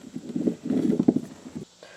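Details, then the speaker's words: Older-style MTD mower deck spindle turned by hand: rough gritty rumble in uneven bursts; old bearings dry and worn, grease washed out by water causing rust and corrosion. "What happens, you get water in there and it washes out the grease, then your bearings start rusting and corroding and everything. And you hear how dry it"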